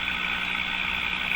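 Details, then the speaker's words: Mohawk Model 1240 five-tube radio with old original capacitors, tuned near 1400 on the dial: harsh steady hissing garble with a faint 1000 Hz test tone underneath; audio-injection test at the volume control suggests distortion occurs in the audio stages. "okay so I hear a garble I hear a noise and I can hear the Thousand Hertz tone"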